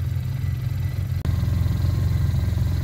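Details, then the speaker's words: Arctic Cat Norseman sled idling after a 90-acre trail run following the rattle fix. A deep, steady shake remains but there is no metallic rattle, so it is a normal idle. "that's the shake after going through the 90-acre trail and back so it's still there but there's no rattle anymore"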